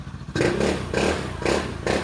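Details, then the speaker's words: Honda Scoopy scooter after engine blew from running out of oil, rebuilt with new crankshaft and new 55mm MTK block: even repeating bursts, no knocking or rattling underneath; engine quiet and healthy. "Naandar na mga idol. Tahimik na yung makina, napapatangin na yung mayari. Yan, okay na mga lods."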